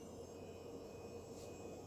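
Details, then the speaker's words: Normal hard drive spin-up in a Sony PlayStation 2 after power supply replacement, with HDD network adapter: soft even whir with faint steady high tones, no clicks or scraping. "Turn this on, hear the drive go off, hear the hard drive spin"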